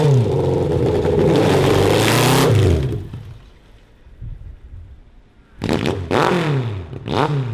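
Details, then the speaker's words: 1982 Honda CB750 cross-kart engine on a ride test after carb jetting changes: revs climb, then stumble and cut out in ragged bursts at higher rpm under load. Owners suspect the carburetors or a lean condition. "it looked good man it's we just need to clear up the carburetors there's something do you think that's all just lean issue or it's acting"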